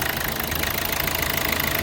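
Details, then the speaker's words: 2012 Hyundai Verna Fluidic diesel after ECM repair fixing cylinder 3 injector circuit open fault: engine idles smoothly and evenly, ordinary light clatter, knocking and misfire gone. "ਤੁਸੀਂ ਦੇਖ ਸਕਦੇ ਹੋ ਜਿਹੜੀ engine ਦੀ knocking ਆ ਬਿਲਕੁਲ ਖਤਮ ਹੋ ਗਈ ਤੇ ਗੱਡੀ ਹੋ ਗਈ ਬਿਲਕੁਲ ਓਕੇ"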